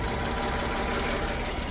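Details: Kia Towner (Daihatsu Hijet-type) mini truck after swapping to a 250cc motorcycle carburetor, mixture screw set by ear at about one and a half turns, choke unused, warm Florida weather: small petrol engine idles steady and even, no misses; running smooth.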